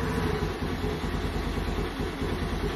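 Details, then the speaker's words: 2022 Honda Navi on its first start after installing the MNNTHBX intake, with a separate crankcase filter. Extremely cold, full choke. Small single idles fast and steady with an even low pulse and a breathy intake note; normal cold idle on choke. "it's extremely cold i got full choke on already let's see"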